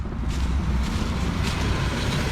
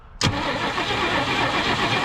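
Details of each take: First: 1965 Mercury Montclair, first run after 16 years sitting on squirted fuel: deep, steady low rumble with wind noise; owner notes a slight skip, likely about to run out of gas. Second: 1965 Mercury Montclair Breezeway, sitting 16 years, first start attempt: starter spins the engine steadily but it never fires; no spark seen, owner suspects ignition not reaching the coil/points; crank, no start.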